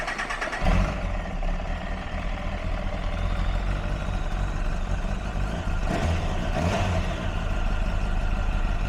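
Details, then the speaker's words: 2004 Kawasaki ZX-10R after clutch rebuild to fix a rattly clutch, on the bench: steady, even idle with a smooth low beat and no jangle or rattle from the clutch; healthy engine. "well there's no horrible jangling noise so that is a good thing I'm a happy boy because that no longer has a rattly clutch"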